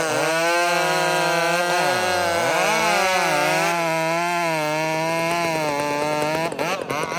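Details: Husqvarna 562 chainsaw with exhaust upgrade running; high clean two-stroke scream held steady, dips briefly and picks right back up without stumbling, healthy saw pulling well.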